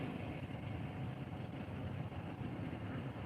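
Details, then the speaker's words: Car idling with a funny noise and engine visibly shaking for a couple of days: quiet, uneven lumpy idle with wavering level; owner suspects oil, dipstick barely shows oil after a gas-station oil change; cause unconfirmed. "lot of times the past couple days it's making a funny noise. And it's shaking."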